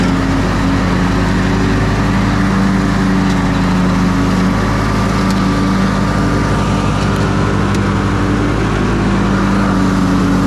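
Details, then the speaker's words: Briggs & Stratton ride-on mower after a new starter drive gear, in neutral with park brake on: a steady, even single-cylinder putter with a smooth low drone and no misses or knocks. Normal idle. "all right so it's in neutral and the parks on so it shouldn't cut off even want to hop off sounds good idling"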